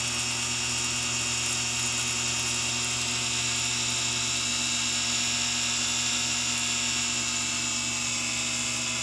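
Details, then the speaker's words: Singer PA style sewing machine motor from a model 600 deliberately flooded with oil: high steady whine slowing, with uneven rattling chatter; oil-soaked carbon brushes slipping and rattling on the commutator. "I can kind of hear the carbons well I call them carbons the motor brushes rattling now and slipping around"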